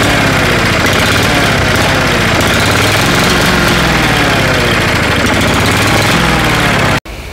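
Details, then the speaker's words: Cheap used lawnmower with carburetor and engine shutoff still needing adjustment, running best at the shutoff position: fast uneven flutter that never picks up revs, then cuts off; won't rev, hunting, suspected fuel starvation. "That's in the shutoff position, and that seems to be where it runs the best, although it's not getting revs. It sounds like it's kind of starving for fuel."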